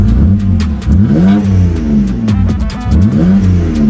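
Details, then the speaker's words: BMW E90 328i N52 six-cylinder revving cleanly and evenly with no stumble after replacing coil packs, spark plugs and cam sensors; it previously had a rough idle, misfires and a check engine light from unplugged coils. "band RPM all the way all the way through there we go she's purring she is purring let's go"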